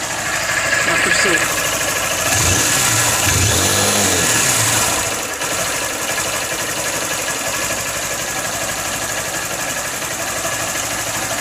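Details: Honda Fan 160 motorcycle, noise began after the 1,000 km first service: light, rapid ticking through the low-rpm idle after a blip; source unclear, suspected cam chain or injector.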